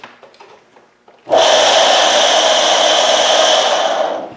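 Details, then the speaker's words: GSW submersible utility pump, about 15 years old, previously humming with seized impeller, now freed: starts with harsh rough hissing grind instead of smooth hum; owner suspects worn-out motor bearing. "gross so I'm guessing the bearing shot now I don't know if you can replace the bearing or not"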